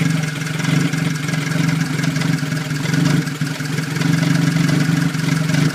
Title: 1989 toyota tercel 3e rough idle